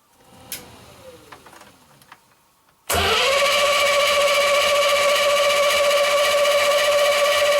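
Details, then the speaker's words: Land Rover 101 Rover V8 after replacing a belt tensioner pulley bearing: catches after a quiet stretch and settles into a smooth, even idle with a steady note and no knocks or squeal; normal idle. "Better. I just love the sound of that Rover V8."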